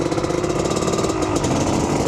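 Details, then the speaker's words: KDX250 two-stroke dirt bike, cold with choke on, started on the second kick: idles with no throttle, a quick, steady, even crackling beat; a clean, normal idle. "look at that second kick no throttle it idles good now"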